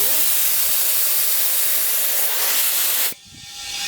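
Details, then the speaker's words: REDATS portable compressor/inflator at about 8 bar: loud, steady hiss of air that cuts off abruptly as the relief valve blows off at the eight, with slight residual hissing from the small valve. "No to mamy 8 barów i coś tu delikatnie jeszcze z tego zaworka syczy"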